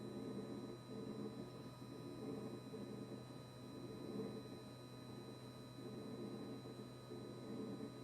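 Quiet but constant low buzz with a thin high whine that never cycles off; the compressor keeps buzzing continuously, cause unknown.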